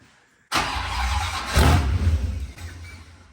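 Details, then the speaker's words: 1956 Chevy V8 with supercharger, first run in 30+ years: fires with a sharp bark and settles into a strong even low rumble with blower whine, no misses. Healthy, normal running. "The 56 runs. It runs. Wow. That blower whine is like. How's it sound with no earplugs? It sounds totally healthy."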